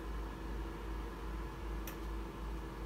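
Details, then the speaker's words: Breville Smart Oven Air Fryer (BOV900 or BOV860) just switched off: soft, even cooling-fan hiss keeps going, no knocks or rattles; normal run-on that stops within a few minutes, sooner with the door open. "can you hear the fan is still going on so a solution as i mentioned i'll open that few minutes it will stop"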